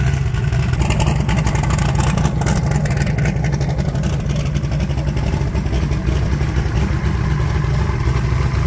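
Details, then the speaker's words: 1980 Pontiac Trans Am, turbocharged, Promax 200cc heads, after replacing leaking header gaskets (boost escaping between head and exhaust): strong steady high-rev roar, no puffing or ticking from exhaust; feels strong, noise gone. "not drove it around got on it feels strong that noise ain't there no more so yeah there's a header gasket"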